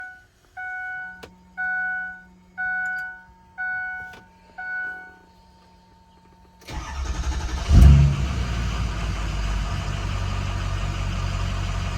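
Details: 2006 6.0L diesel, hot, with ICP sensor unplugged after new ICP sensor, pigtail and IPR valve: five dash chimes then a long steady crank that never fires; hot crank no-start.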